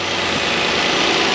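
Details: Nissan idling after valve cover gasket replacement, steady even hiss and hum, no ticking, knocking or misses; a rubber grommet is missing from a stud and the oil is slightly overfull, possibly enough to cause an issue.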